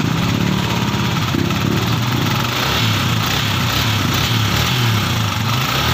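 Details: Sniper MX150 after removing and refitting the clutch housing to fix the clutch damper problem: steady, even single-cylinder idle with no rattle or knock riding over it; the engine is smooth and quiet again.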